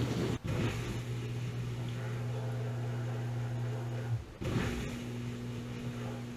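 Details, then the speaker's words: Whirlpool WDF330PAHB1 dishwasher that was not spraying water, leaving standing water: after removal, disassembly and reassembly with no blockage found in pumps or lines, a steady low motor hum that briefly breaks then returns unchanged. Normal wash cycle. "we took it apart put it back together didn't find anything started it up again seems to be working this is a whirl poool"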